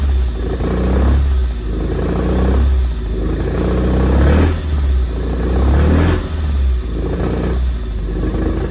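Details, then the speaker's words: 1974 Alfa Romeo GTV 2000, built 2.0L with dual Dellorto carbs, long sitting, first start on fresh fuel: revs surge and sag about every two seconds, no idle; owner suspects carbs full of junk. "She runs, but she doesn't idle, and if she can't idle, that means we can't drive her."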